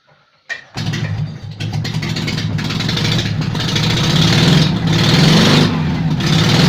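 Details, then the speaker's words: Invacar three-wheeler, revived after 14 years in a field and running on axle stands with the exhaust removed. It gives a loud, raw, popping bark with no silencing at all. "who needs an exhaust right haven't got the exhaust off"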